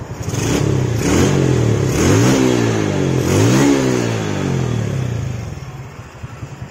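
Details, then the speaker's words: Yamaha Jupiter Z after plugging leaking carburetor vacuum hose that let fuel into manifold, causing stutter and black plugs: engine blips cleanly, smooth idle, no stutter or misfire. "Nah ini langsamnya langsung enak digas juga langsung Los ya enggak kayak tadi mbet-brebet"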